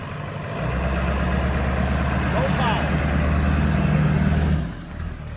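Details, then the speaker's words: Ford F-250 7.3 Powerstroke diesel run low on oil, cold start: uneven, lumpy idle about four beats a second, note wavering before dying off; rough running with no power, owner unsure if it's cold-related; cause unclear. "I wonder though, is it like when you first cut it on, it has no power because it's cold and it doesn't want you to blow it up or something?"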